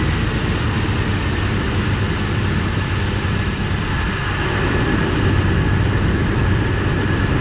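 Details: 2004 Ford Explorer 4.6L V8 running after a Triton insert repair of the spark plug hole that had blown out the ignition coil: continuous low, even rumble with no tapping or puffing from the plug area; healthy after repair.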